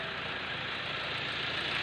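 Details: Hyundai Accent CRDi automatic diesel after a no-start fuel system fix: even idle with a steady fine clatter and a bright hiss on top, no misses or stumbles; runs normally.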